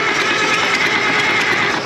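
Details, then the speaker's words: Case 970 tractor, sat about 15 years, first crank on fresh batteries before fuel bleed: quick, light whirring crank with gear-like rattle and little thump between strokes; turns over fast, owner suspects low compression (or just good batteries), unconfirmed. "Turns over pretty fast for an old case, which doesn't lead me to believe there's a lot of compression here"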